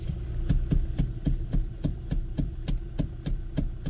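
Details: 2014 Kia Optima 2.4L: quick, even knocking clunk from the steering column, nearly four a second, when turning; tie rods and ball joints checked good; worn steering coupler, replaced.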